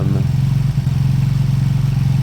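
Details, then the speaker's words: Beaten-up old Lexmoto motorcycle, many parts missing, idling after revival; steady, even single-cylinder idle with regular soft pulses and no knocks or rattles. Fuel then turned off, engine judged great, needing only new oil and a small service. Normal idle. "I've turned the fuel off now engine sounds great it needs nothing um obviously new oil and a small service"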